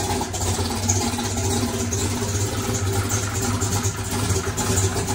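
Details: Chevrolet single-turbo race car running after electric primer pump added to mechanical fuel pump; deep, steady, lumpy note, no stumbles or pops, fuel delivery fine — normal running.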